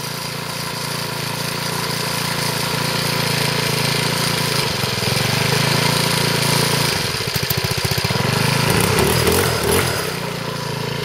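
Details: Troy-Bilt four-stroke weed eater, cold on half choke, after a failed clutch was repaired: fairly steady buzz that dips and picks back up with throttle, no grinding or slipping. Runs properly.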